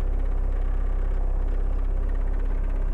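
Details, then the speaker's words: 1.6L turbo diesel, mic inside cabin at idle before raising high idle: deep lumpy idle with faint light rattles on each pulse; interior rattles from low idle, worse cold. "and just kind of hear just hear the rattles for a second okay and then imagine it being like cold and it rattles all way worse because it's actually idling even lower"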